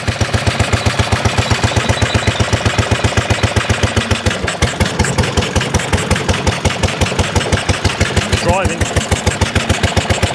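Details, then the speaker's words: 1930s Dennis Z-type 30-inch lawn mower after points and carburetor cleaning, driving under load with the cutting cylinder engaged at raised revs. Sharp cracks with firing strokes as it pops and backfires. "woohoo bit of a back part going on i love this this is proper"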